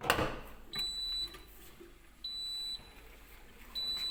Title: easy fix for Siemens dishwasher with a beeping sound